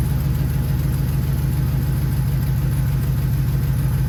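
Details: Truck just repaired and coolant topped off, first start-up after fix: steady, even low rumble with no knocks, misses or whines; engine idles smoothly and sounds healthy.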